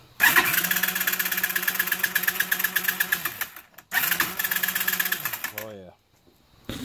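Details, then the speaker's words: Yamaha Breeze ATV that was flipped and ran upside down, now cranks without starting; fast free-spinning starter whir with no compression chuffs and no firing; no compression, with the timing chain found off the crankshaft sprocket. "Definitely sounds like there's no compression."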